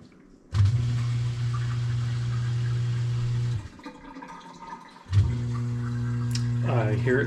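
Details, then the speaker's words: GE GDF520PSF6SS dishwasher drain pump after removing a plastic chunk that caused grinding, cycle cancelled: steady low electric hum that drops out and restarts with water gurgling; drains into the disposal, tub empty, working normally. "and I think it is empty so let's open it up and check it out sure enough no water everything seems to be working well"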